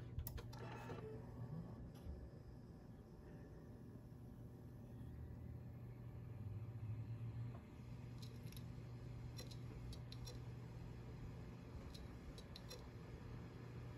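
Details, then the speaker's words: 2TB Seagate Barracuda hard drive tested in a Dell OptiPlex 790 SFF, suspected dead: quiet hum with scattered irregular sharp ticks; failing drive clicking, not detected in BIOS. "I have this two terabyte Seagate Barracuda drive I believe it is toast if I remember correctly this is what the issue was with this drive"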